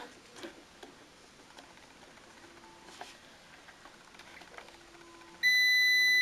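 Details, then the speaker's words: Blazer Vista UPS converted to an inverter on a drill battery, running a bigger AC motor: quiet ticks, then a loud steady high beep as the motor's heavy draw drops battery voltage and the inverter cuts the load (low-battery cutoff). "As you saw, the motor turned, but it drew too much inverse current, and the inverter cut the load because the battery voltage decreased too much."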